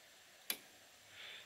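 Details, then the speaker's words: Winch relay on a 2016 Polaris Sportsman ATV, hard-wired to run a driveway grader, key on and winch switch pressed: a single sharp click as the relay pulls in cleanly, normal relay operation. "then I go up to the wench switch and I listen for the relay to engage so listen you can actually hear the relay engage"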